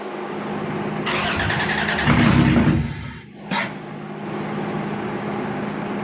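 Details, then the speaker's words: Toyota T100 (originally 3.0) after swap to a 3.4 engine, first start attempt at end of day two: cranks, catches, surges unevenly then stumbles and runs lumpy; owner suspects a fuel problem or vacuum lines, unconfirmed. "okay that's enough for today sounds like it's got a fuel problem maybe some vacuum lines"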